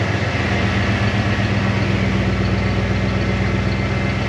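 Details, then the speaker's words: 1990 Ford F250, fuel-injected 5.0L V8, barn find unrun for a couple of years, just fired after petrol was added to the empty tank: smooth, even V8 idle, a steady low beat of about four pulses a second, no knocks or misses; normal idle. "Well, all I needed is some petrol, some go-go juice in the tank, and she fired off."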